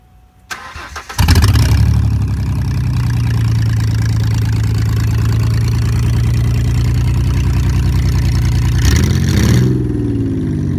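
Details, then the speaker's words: 2001 Ford Mustang V6 project car, no check-engine light, open exhaust: loud start settling into uneven, lumpy, pulsing idle like a misfire on a few cylinders; owner says it needs spark plugs, only one replaced so far. "no check engine going there you guys have it it may not sound the best but me to be a v6 it's gonna be a good project car"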